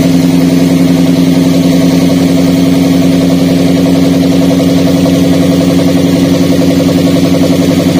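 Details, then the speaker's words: Daihatsu Gran Max idling with a stutter and low power: pulling the coil socket on cylinder 3 worsens the shake and exhaust limp, while one coil plug causes no change. Stumbling, lumpy idle under a steady drone, a misfire from a dead ignition coil. "Hah terlihat anda ketika kita cabut untuk tokek oil nomor atau mesinnya sendiri tidak ada reaksi namun ketika kami tadi Cabut ya untuk posisi soket koil nomor tiga untuk pasiennya itu jadi tambah parah untuk getarannya kemudian suara di kenalpotnya juga Terdengar sangat jelas ya tambah pincang"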